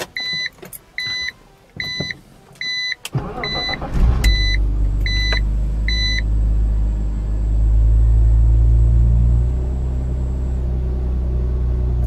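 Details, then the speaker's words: BMW Z4 after replacing the intake tube/boot, first start: door chimes, then the engine starts, blips and settles into a steady, even idle. The earlier turbo-like whistling on acceleration is gone and it sounds normal. "to run absolutely fine everything sounds well and watch when I accelerate [Music] you don't hear that noise anymore that turbo noise that whistling it sounds normal which is perfect"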